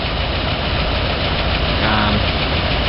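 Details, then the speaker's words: Ford 460 V8 at idle with new lifters, exhaust leak fixed: rough, uneven tick about three per second with misfire-like stumble; owner suspects bad cam, not exhaust, before cam replacement; valvetrain ticking. "you can hear that tick pretty good and I know it's not exhaust even though it sounds like it"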